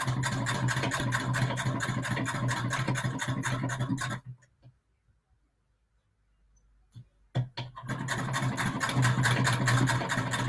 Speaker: so i do hope this is enjoyable for y'all i personally really enjoy the sound that she makes